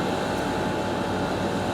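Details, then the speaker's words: Garage A/C in heat, surface readings up to 160° at upper right: steady loud rushing hum from compressor and fan, no rattles or cutting out; labouring, "chooching" hard, normal operation under heavy load. "you could hear it's in labor it's definitely chooching"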